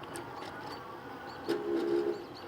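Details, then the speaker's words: Euphree e-bike riding in drizzle: a brief buzzing grind rises over the riding noise as the rear frame (cafe) wheel lock vibrates when it hits a certain frequency. "yeah on occasion we hear this little grinding sound you hear that what that is is that's the um that's the little lock that they put on their um the cafe lock the cafe lock sometimes has a little vibration that goes on if you hit the right frequency of um of things it'll vibrate a little bit"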